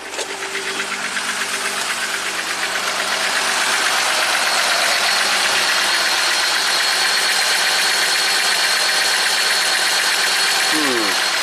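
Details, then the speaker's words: 2019 Jeep Wrangler Rubicon, Pentastar V6, 71k miles, owner reports shaking at idle, blinking check engine light, code P0300, bank 1 knocking and running lean; rough idle with steady clacking tick about four times a second under the hood; valvetrain clatter with misfire. "Let's fire it up. Oh, it does have some kind of clackety clack under the hood."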